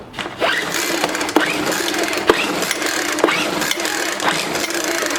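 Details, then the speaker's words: Discarded Craftsman 4-stroke weed eater, pulled on choke with no throttle: about one pull per second, each a brief whirr that never catches or pops. No-start, not picking up gas; fuel line disconnected from carburetor. "it's not picking the gas up so i guess we just need to just pop this cover off"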